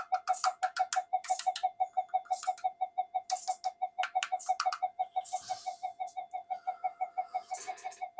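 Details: Old Minelab GP Extreme metal detector on the bench; warbling tone pulsing about three times a second with faint clicks, the "alien" sound with no detection depth; flyback pulses unstable, suspected PLL or power supply fault on the other board.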